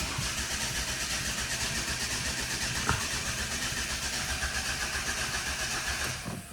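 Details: 2011 Ford Focus 1.6 turbodiesel, flat battery on arrival: spins over steadily for about six seconds but never catches, then stops; crank no start with no fuel pressure.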